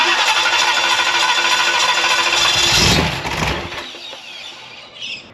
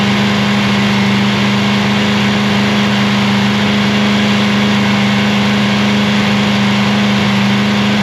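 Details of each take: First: Free 327 ci Chevy V8 during cam and lifter work, cranking about three beats a second, briefly catching then fading out with lots of fuel; with a quarter-turn valve clearance it still wouldn't run. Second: Free Chevy 327ci V8 on a cold morning, about -3°C, after a cam and lifter swap, during flat-tappet cam break-in. Steady, even rumble held at raised idle with no ticking, knocking or misses; sounds healthy.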